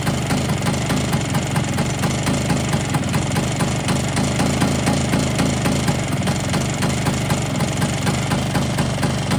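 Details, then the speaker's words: Polini 177 two-stroke Vespa after fitting new piston rings, cold idle with no heat in it and smoky from oil in the bore: a fast metallic rattle over the exhaust note, seeming to come from the cylinder, source not found; owner fears seizing it again. "But she broke. I've still got that top end rattle."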